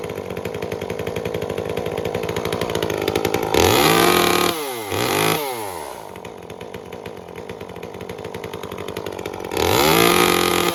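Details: Second Echo CS-355 chainsaw after clearing a clogged screen and removing the limiter cap because it was set very rich: the small two-stroke snaps to a clean steady full-throttle scream and drops back to idle without burbling. The mixture is now properly set.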